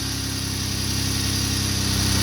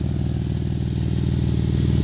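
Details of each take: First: 2012 Jeep Wrangler 3.6 V6 after repairing the driver's-side exhaust leak at the rotted crossover pipe flange with split flanges and long bolts: steady, even, quiet idle with no ticking or puffing. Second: 2012 Jeep Wrangler 3.6 V6 VVT at idle: fast even puffing tick paced with firing; exhaust leaking at driver-side crossover pipe flange to intermediate pipe, separated with rotted bolts.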